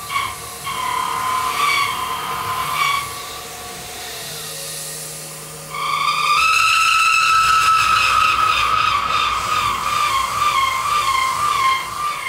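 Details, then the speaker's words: Half-inch roughing end mill plunging and interpolating a pre-ream hole, with about 270 degrees of the tool engaged on the first pass: a harsh, high-pitched scream that climbs and grows louder as the cut loads up, end mill chatter. "So I know the beginning of that sounded pretty horrendous, but that's because when it's plunging in to a half inch hole, there's so much engagement as it makes that first pass, you know, something like 270 degrees of the tool is engaged."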